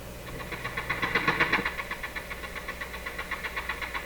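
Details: Nordmende Norma Luxus tube radio with very low output and a weak-testing EL95 output tube, while warming up under test: a steady pulsing rumble from the speaker, about four beats a second, over a quiet hum; output-stage noise, cause not yet known.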